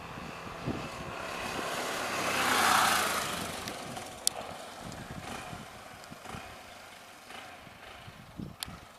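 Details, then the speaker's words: 1999 Honda XR600R single, a barn find brought back to life and made street legal, on the stock muffler; muffled, even beat rises briefly with throttle, then settles back smoothly and quietly. Normal running. "As you can hear, it's got the stock muffler on it, and so it's pretty muffled down. It does have a lot of power. You open the throttle and it does pick it up."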